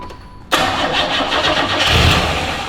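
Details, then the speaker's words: Chevrolet Camaro 2.8 V6 barn find, sitting 12 years, corroded fuel line: starter engages and engine churns with rough uneven roar running on starting fluid, fuel pump disconnected; mouse nest found in exhaust afterward. "we're gonna try to start this super sweet 2.8 on some starting fluid so anyway hopefully it works hit up Batman"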